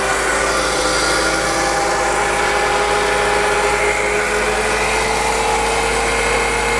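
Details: 2002 BMW E46 M3 converted from SMG to a 6-speed manual, on its first drive. Over the idle, a thin electric whine keeps running and climbs in pitch as the starter stays engaged after start-up, with an electrical burning smell and smoke; the car wouldn't shut off.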